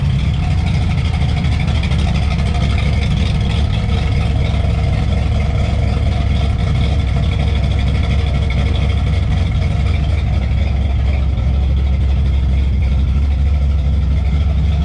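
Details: 1991 Chevy S10 with small-block V8 swap at idle after fixing the shorty headers and refitting the exhaust: deep, steady rumble at an even idle with no ticking or puffing from the headers.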